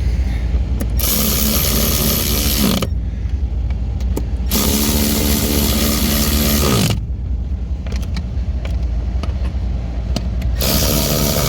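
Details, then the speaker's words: 2011 Ford F-150 behind the dash after mode door actuator replacement (Murray DA1160), which fixed defrost and dash-to-floor switching: soft whirring and clicking as the doors sweep between positions, with some wrench ratcheting mixed in; the actuator is working normally. "you can hear it all changing now that one actuator fixed everything up"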